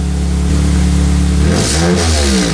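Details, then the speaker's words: 2003 Pontiac Vibe GT, six-speed manual, after replacing the coil pack and spark plugs to cure a misfire: smooth, rhythmic idle and a clean throttle blip with no stumble or popping. The engine sounds healthy. "much better nice and rhythmic doesn't have that random now depending on the car that could be part of what you're looking for but in this case I want that nice purring sound maybe a little bit of raspiness"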